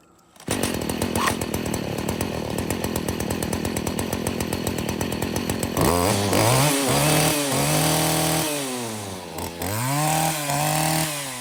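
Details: Stihl FS40C trimmer running after replacing the spark plug that caused the no-start: buzzes steadily at idle, then revs cleanly up and down under throttle without stumbling; normal running.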